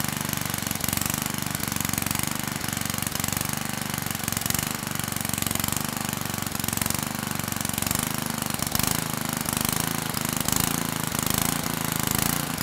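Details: Generac 5000-watt generator (model 01140-1, 1999) with Tecumseh HM100 10 hp flathead, which had lost compression and would not run. Running after the carb work, with a slow, steady single-cylinder chug, no knocks or stumbles; runs cleanly and sounds healthy.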